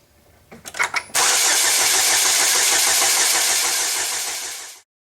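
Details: 2007 Chevy Cobalt 2.2 L Ecotec, after a new serpentine belt, clicks then cranks steadily about four seconds without firing; no-start caused by a corrupted fuel trim setting, fixed by resetting it with a diagnostic tool.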